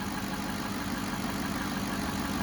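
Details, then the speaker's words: 2007 Cadillac DTS Northstar V8 idling smoothly after power steering pump replacement: steady hum with no belt chirp, normal. "and that my friends is what a Northstar is supposed to sound like no chirping"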